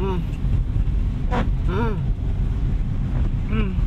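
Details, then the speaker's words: 2014 Toyota Avanza 1.3 G automatic (K3-VE) driving in rain: squeaky chirp once per wiper stroke about every two seconds over road rumble; squeaking wiper blade that cleans poorly, should be replaced. Wiper squeak. "bunyi-bunyi hai cepet kalau udah punya kayak gitu itu ada tanda bahwa kalian itu harus ganti wiper"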